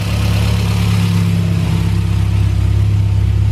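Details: Warm Honda Civic hatchback with built high-compression B-series (B18C) engine, Skunk2 valvetrain, cam gears, ported intake, custom 4-1 header, twin-loop exhaust, daily driver in for timing belt/water pump/plugs/fluids maintenance: deep even low rumble, steady beat, no ticks or knocks; strong smooth-running engine.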